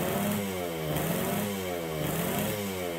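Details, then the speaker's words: 1969 Yamaha DS6 two-stroke, carbs rebuilt with new float bowl gaskets, fresh premix, warming up: rough, uneven note, revs wandering and sagging, won't idle, very boggy on throttle. Carburetors suspected, to be cleaned again; compression not yet checked. "so there's definitely something going on with our carburetors we don't want to idle we're very very boggy when we get on the throttle"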